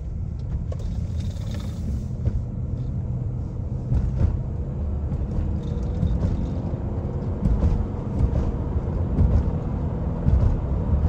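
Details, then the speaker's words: Honda CR-V with a thumping vibration, after a large chunk of ice was hammered out: even low road rumble at steady speed with no rhythmic beat; yokes and U-joints feel solid, only a faint noise remains. Normal driveline. "It was so solid. The yokes and the U-joints, the universal joint, like it felt so good."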